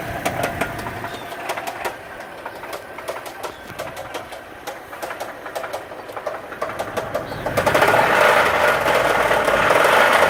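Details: 2007 Dodge Dakota 3.7 V6: heavy, regular metallic knock about four per second, louder as revs rise; thrown rod, rod knock.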